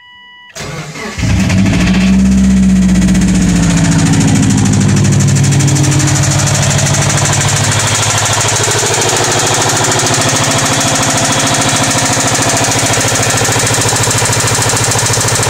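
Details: 2004 Subaru Forester XT starting cold: engine cranks, catches and settles to a fast idle with a steady rapid knock running underneath; cause unknown, engine knocking on cold start.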